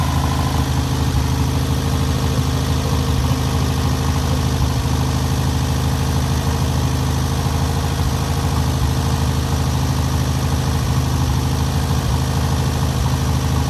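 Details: First start and break-in of newly rebuilt air-cooled VW 1600cc flat-four: even low throbbing idle, steady beat throughout, no knocks or rattles; normal idle.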